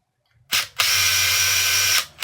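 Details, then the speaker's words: Makita cordless impact wrench, possibly dropped, damaged, with a trigger fault; a short burst then a steady high-pitched whirr for about a second that cuts off abruptly, juddering felt; works only intermittently, trigger or mechanical fault suspected. "Oh, that did turn there, as you can hear. So it's definitely working. It's just, I can feel it sort of juddering a bit."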